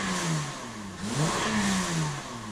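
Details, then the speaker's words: Honda Accord V6 with modified exhaust and broken-out catalytic converter pieces, a few rattling back toward the muffler; quick blips rise and fall cleanly, throaty note, louder and more responsive with a little grunt, revving healthy. "it sounds a little bit louder as you guys can see definitely a lot more responsive still doesn't sound too bad has a little bit of a grunt to it but nothing crazy which I'm totally okay with"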